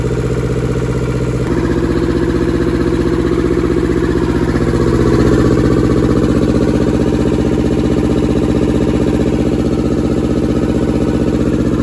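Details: German air-cooled Deutz F2L511 two-cylinder diesel, ex-forklift, first start after sitting about 5 years: catches after a brief crank, then settles into an even, steady clatter with no misses; healthy idle.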